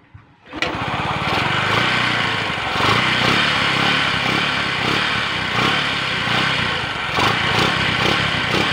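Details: Motorcycle after intake manifold replacement to cure a vacuum leak causing backfire: engine catches after a short crank and settles into a steady, even single-cylinder idle with no popping or hiccups; normal.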